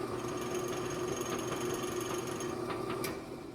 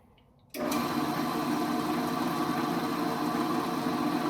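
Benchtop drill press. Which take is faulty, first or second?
first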